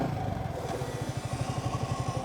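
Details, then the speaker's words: Yamaha R15 V3 155cc single-cylinder motorcycle riding in rain: under hard braking a low rhythmic thumping about eight times a second over engine and wind noise; cause unknown; noise under hard braking. "by god every time you break hard it makes an awkward sound listen to this i don't know what sound it is but listen"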